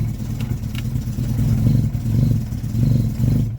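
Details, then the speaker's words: Freshly rebuilt 1311cc A-series engine, first start; runs rough and lumpy, surging weakly without climbing revs. Won't rev due to retarded ignition timing. "Okay, it does not want to rev at all, but it ran."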